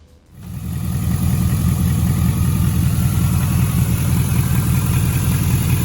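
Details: 5.3 LS-swapped Pontiac Firebird after fitting an LS1 Corvette fuel filter regulator: deep, even V8 burble rising smoothly with throttle, no misfire or stumble; runs much better, fuel delivery sounds healthy.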